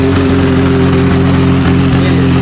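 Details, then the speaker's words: 1989 Jeep YJ at idle before exhaust replacement: loud, rough, raspy hollow drone with a steady puffing rhythm, much louder than normal. Exhaust system leaking. "but you can hear how loud that is, and it is not supposed to be that loud."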